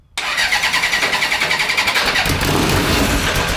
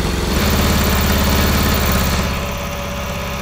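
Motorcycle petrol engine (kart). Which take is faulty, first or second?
first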